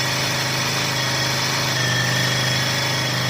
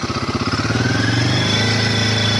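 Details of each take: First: Himalayan 450, stock, bought in the same April lot as a second bike: revs held at about 3 (thousand) rpm carry a light, fast "tik tik" tick that the owner says differs from a tappet sound, then the engine dies away; cause unconfirmed. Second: Royal Enfield Himalayan 450, about 500 km, the reference bike compared against a second bike with tick noise: clean idle picking up smoothly to a steady rev held around 3,000 rpm, even with no knocks or rattles; healthy.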